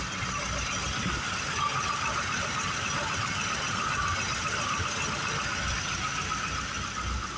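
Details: 1969 Mustang Mach 1, 124,000 miles, carbureted V8, cold start in snow: steady even fast idle with choke on, no misses or knocks while warming; good running car.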